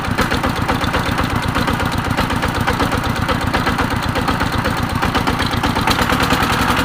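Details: ET110 single-cylinder diesel, rough thumping about four beats a second with uneven firing and white smoke; worn crankshaft journal from poor oil feed found on teardown.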